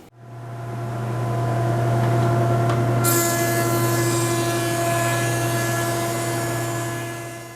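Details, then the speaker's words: Jet JP20 (208HH) 20-inch helical-head planer, about one year old, planing quarter-sawn white oak: steady motor hum and whine, even hiss through cut, no chatter or grinding; smooth, no tear-out. "Even this tricky quarter sawn white oak, no tear out at all. Looks really smooth."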